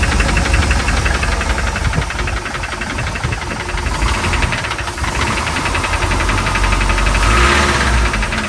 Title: Mercruiser 3.7 startup bad bearings